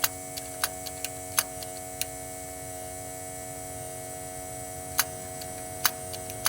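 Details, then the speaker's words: 1962 Ford Falcon electric fuel pump running with the key on while investigating cold-start and choke issues; the tank is suspected empty and the gauge reads E: a steady electric hum and buzz with sharp ticks and no sound of fuel flow. Pump is running dry. "We would have gas pissing everywhere if there was actually gas in this car. I am totally sure there ain't no gas in it."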